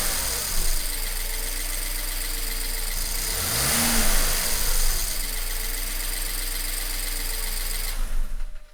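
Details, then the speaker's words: BMW 1 Series N43 engine, second run after DIY bottom-end rebuild for spun bearings and low oil pressure; steady even drone at fast idle near 2000 rpm, no knocking or rattling; running smoothly. "okay I'm going to start the engine again and run it for five minutes at about 2,000 RPM"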